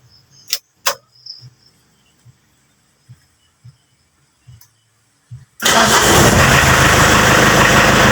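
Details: Mitsubishi L300 diesel, cold, after repair of the glow/heating system that had made cold starts hard: a few light clicks, then it catches at once and holds a loud, steady, even idle.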